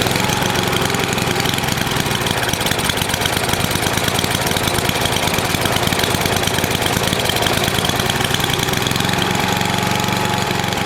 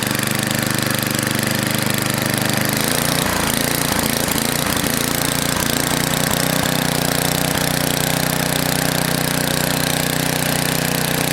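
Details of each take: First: NOMA 8hp snowblower single-cylinder engine with the plugged gas line blown clear, warmed up for an oil change: an even, fast chatter at steady speed with no surging or dying out. It runs okay. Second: NOMA 8hp snowblower, Tecumseh-type single-cylinder, cleaned carb refitted: rough idle with speed surging up and down, governor hunting; bottom mixture screw turned fully in, carb mixture needs tuning.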